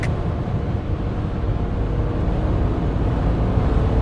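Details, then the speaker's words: 2008 BMW E90 335i, N54 twin-turbo, automatic, after a cooling system overhaul and new wastegate solenoids: 4th-gear highway pull where a deep rumble builds smoothly with no hesitation, partly under wind noise. Strong, healthy acceleration. "Nice. 4th gear pulls really good on the highway. Go. Jeez, this car is fast. Holy cow. This car is really fast."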